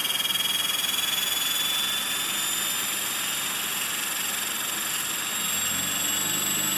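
Steady high-pitched rotor and motor whine with an uneven, rough buzz underneath on hover: abnormal vibration, cause not yet found.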